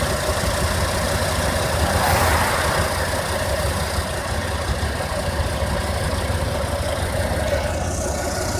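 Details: 1992 Ford Econoline E-150 4.9 L inline-6 after Hurricane Irma: steady low idle with uneven lumpy beat and loose irregular pulses in drive and park; rough idle, Lucas oil additive gave no improvement, cause unknown.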